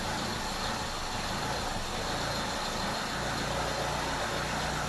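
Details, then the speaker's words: Petrol car engine idling evenly at about 800 rpm after loosening the idle mixture screw counter-clockwise to cure rough, up-and-down idle; sound became more refined. "I can feel and hear that the sound of machine changes it became more refined now"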